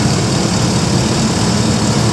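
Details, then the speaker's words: 2008 Chevrolet Express 2500 with 6.0-litre V8, 319,000 km: steady, even low rumble at idle with no knocks, ticks or misses; engine running smoothly and healthy. "You can see the motor's running good. It's got the 6-liter in it."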